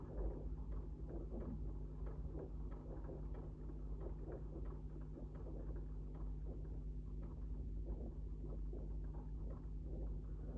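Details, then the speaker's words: Singer 99 sewing machine running: light, irregular metallic clacks on each stitch over low hum as thread moves the bobbin case; normal bobbin case knock characteristic of the 99 and 66 shuttle mechanism. "And when it does that, it actually causes a noise as the bits of metal move together, and that is a definitive noise of the 99 and the 66 machine."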